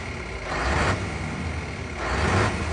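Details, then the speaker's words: V8 PDE truck diesel (~940,000 km) idling before valve adjustment, air compressor newly rattling/clattering in pulses; all intake valves found tight, exhausts loose, unit injectors misadjusted. "Słychać teraz sprężarka jak terkocze przed regulacją. Tego nie było."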